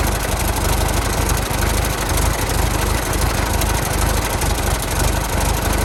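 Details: 1916 Federal Motors truck, 107-year-old four-cylinder that was seized and sat 50+ years, bottle-fed fuel, rusty radiator being filled with water; slow, steady low-pitched idle with even firing pulses, no knocks or misses: normal idle.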